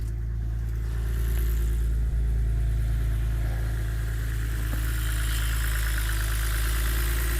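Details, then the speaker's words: BMW E89 Z4 3.0 N52 straight-six, 40,000 miles, started after replacing a stuck timing chain tensioner: a smooth, even idle with light injector ticking and no timing chain rattle; normal. "oh that sounds lovely that does lovely ticking of the old taets in the injectors very very nice I do like that slowing down no rattle from the timing chain"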